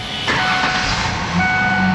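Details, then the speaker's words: Vehicle with check engine light on and an inoperative oil pressure gauge, just started: a steady whine rides over the idle and climbs slightly in pitch, a lot of power steering pump noise. "I hear a ton of power steering noise"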